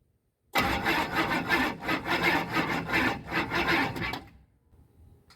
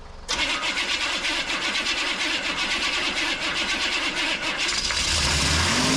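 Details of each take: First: 1988 Chevy C2500, 6.2 diesel with Banks turbo, over 400,000 miles, said by the seller not to run: labored cranking at about three strokes a second for four seconds without firing; slow cranking no-start, starting fluid next. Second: 1988 Chevy C2500 with a 6.2 diesel and Banks turbo, over 400,000 miles, long sitting; it cranks with a gas-soaked rag in the air filter, catches with uneven clatter, then steadies and keeps running. Owner had feared needing a starter.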